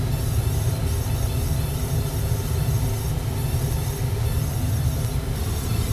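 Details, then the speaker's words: Gas furnace after its failed control board was replaced with a Honeywell universal board: pilot lights and the burner ignites. Steady low rumble with no pops, rattles or flutter; burner running normally, though the new board's LED flashes a code. "Let's turn on the gas. I see a pilot light. Oh, we got a burner. Excellent. Looks like we fixed it."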